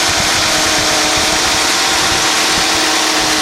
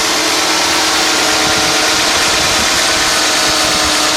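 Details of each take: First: 1991 Mercedes-Benz 420 SEL warm, fan clutch disengaging: fast steady idle at about 1000 RPM instead of about 650 under fan roar; high idle, owner thought idle air control valve but now suspects computer. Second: 1991 Mercedes-Benz 420 SEL (W126) at idle, engine on synthetic oil all its life: smooth, quiet, even idle with soft airy whoosh as the hydraulic fan clutch disengages.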